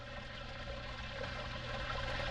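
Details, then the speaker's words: Zoeller M267 basement sewage ejector pump: a steady low motor hum and water rushing out only after the float is pushed down by hand; the float no longer triggers the pump automatically, so the whole unit is being replaced. "Basically this float is not triggering the pump automatically, so I'm going to replace the entire thing."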